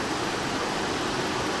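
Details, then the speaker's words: 2012 Mazda 6 3.7 L, cool engine just started: cooling fan ramps almost instantly to a loud, steady airy roar, pulsing and speeding up, also running briefly after key-off; coolant temperature normal; faulty fan control module overdriving fan, fixed by replacing module. "It started up and almost instantly it's going up to high speeds, and then it'll run like that and pulsate, and you can kind of hear it picking up right now."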